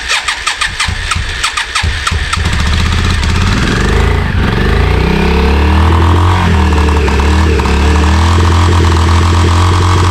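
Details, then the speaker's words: Yamaha Virago 535 motorcycle, about 34 years old, after carb clean and flush: catches after a few cranks, fast idle with uneven stumbling beat; high idle with misfire, owner suspects carbs or a dead spark. "It took it around the block and it seems to be idling very high and it seems to be like misfiring as well. So, it still could be the carbs or there might be a spark out."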